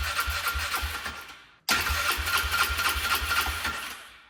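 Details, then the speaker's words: Polaris Trail Boss 325 four-stroke 2WD, parked 12 years, running on starting fluid: two short bursts of uneven, rattly running, each dying within seconds. It runs briefly then dies; carburetor cleaning is planned. "It ran. That thing was running. [Music] I think I'm going to have to clean out the car cuz it's not running correctly."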